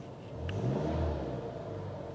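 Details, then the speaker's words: Chevy HHR after timing chain replacement for P0016/P0017 codes, timing marks found off and corrected: quiet, smooth engine that swells briefly then settles, no rattle or chain slap; sounds healthy. "that sounds nice I don't know if you guys can hear that or not but it sounds good"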